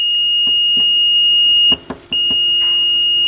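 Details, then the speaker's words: Sony PS-X70 turntable RCA output cable: continuity tester beep drops out and returns as the pinched lead is flexed, showing an intermittent break in the conductor; cables were replaced. "pinched like this over here and see right now it it comes and goes"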